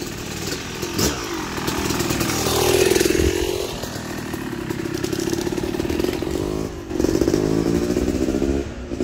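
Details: Yamaha YZ250 two-stroke motocross bike (250cc/270cc), break-in street ride shifting through gears to work in transmission after a full engine rebuild; buzz rises and falls through clean gear changes, no clatter or slipping; shifts smoothly, healthy.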